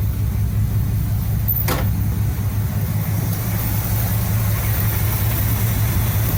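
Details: 1975 Cadillac Fleetwood V8 under restoration, started after replacing the valve cover gaskets to check oil reaching the top end. A steady, even low rumble with no misses or ticking; it runs smoothly and sounds healthy.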